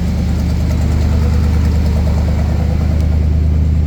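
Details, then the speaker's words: Buick 455 V8 in a Wildcat, running again after self-destructing, oil pressure near 80, no smoke: steady, even idle with a smooth low burble, no knocks or misses; healthy. "This sounds way healthier. No smoke. Really nice."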